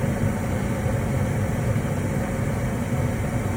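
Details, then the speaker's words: Lennox ML180 gas furnace that wasn't staying lit, after repair: steady, even low burner roar holding flame with no pulsing or dropouts, running longer than before; normal burner operation. "Sounds good. I'm pretty sure that's already longer than it ran before."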